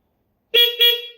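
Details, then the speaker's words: Honda CB400T motorcycle with newly installed horn; two short bright toots with clear steady pitch, no rasp or dropout, horn working properly. "and now I have horn, and it's adorable, so that's awesome."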